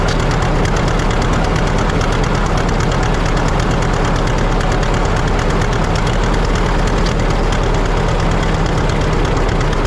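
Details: 1950 John Deere D, reassembled after fixing a corroded exhaust valve and a blown head gasket: loud steady two-cylinder putt about three beats a second; throttle speeds it up far too fast, owner suspects the governor, unconfirmed.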